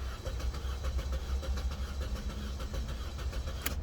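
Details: 2012 Chevy Cruze, crank no start: starter turns the engine over with an uneven, lumpy cadence but it never fires; no spark, consistent with a shorted ignition coil blowing its fuse.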